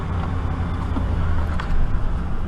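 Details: 5.7 HEMI V8 after passenger exhaust manifold repair (broken bolts replaced), started cold and driven under load: even rumble under road noise, no ticking; manifold sealing, normal running.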